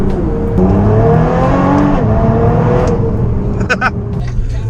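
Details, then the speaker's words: Nissan R35 GTR driving in gear after a transmission repair that used a used bell housing and new sensors. It pulls cleanly through the gears with a smooth rising note and no whine or clunk; the earlier gearbox noise is gone. "Listen, boys, can you hear that? Me neither. I'm in gear and it's not making noise."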